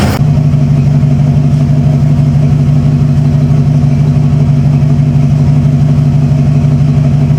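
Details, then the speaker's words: 1995 Ford F-150 V8 barn find, after sitting for years: it restarts after a battery boost, stumbles briefly at first, then settles to an even, steady low rumble at idle with no miss. "now she SM had that little stumble at first smooth throttle"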